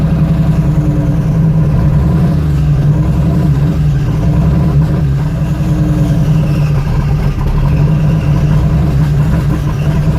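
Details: 92/93 Jeep Cherokee, no engine codes, MAP sensor just replaced and throttle body swapped: low, lumpy, wandering rough idle close to stalling; throttle kills engine, runs longer than before. Cause not confirmed.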